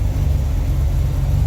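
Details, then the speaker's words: 1955 DeSoto with supercharged 392 HEMI V8 at idle after carb, timing and plug work: deep, steady, even burble with no misses, sounding crisp; vacuum about 14–15, fluctuating from the blower, idle screws leaned to about one turn out. "this definitely sounds pretty crisp at the moment though."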